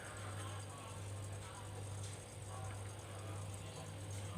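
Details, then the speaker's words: Single-door Aqua refrigerator that wasn't cooling though its light was on, after repair and plugged back in: a steady low hum with a faint buzz as the compressor vibrates and runs normally. "bisa terdengar kalau kompresor ini sekarang sudah bergetar ini sudah bergetar kompresor ini sudah bergetar sudah bekerja"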